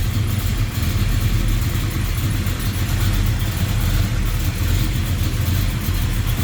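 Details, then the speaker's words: 1972 Chevrolet Chevelle Malibu convertible, 383 stroker V8 with Edelbrock aluminum heads and intake, headers, HEI ignition, aluminum radiator: strong, even rumble at idle and revs, steady firing beat, no ticks or knocks; healthy. "Looks good, sounds good."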